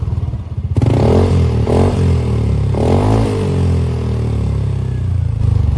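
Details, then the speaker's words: Yamaha NMAX 155 scooter, owner complaining of weak power, checked before a 63 mm bore-up: smooth, even single-cylinder beat picking up cleanly on throttle, no knocks, rattles or scraping, sounding normal. "Dan langsung saja kita cek sound terlebih dahulu. Dan terdengar bahwasannya ini motor nggak ada yang aneh-aneh suaranya ya guys."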